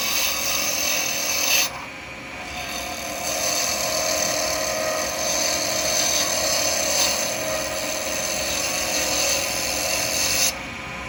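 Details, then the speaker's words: Turning an acrylic pen blank on a lathe with a 12mm round carbide chisel; steady high scraping hiss that evens out as the blank comes round and the cut runs smooth. Smooth cutting on round blank. "can hear the difference when it starts to go around starting to get smooth"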